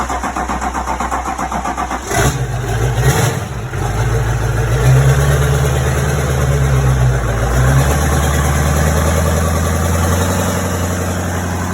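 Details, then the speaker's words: C10 with a Duramax swap, first start after a dry fuel system with a lift pump added and the MAF connected: starter cranks about two seconds, then it catches with a rev and settles to a steady, even diesel idle. Started well, no fuel leaks. "started really well for it to be the first time it started with this fuel system and all"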